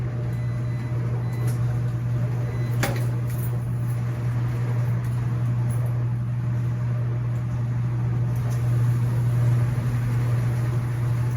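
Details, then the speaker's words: Commercial laundromat non-top-load washer on an empty spin at top speed: a steady, even low drum hum with no knocks, scraping or wobble, quiet enough to talk over. Normal empty spin. "and see that's what you want to be able to do is you want to be able to have a conversation with you know i've got non-top loaders running with nothing in them so they're able to spin at the highest velocity they can"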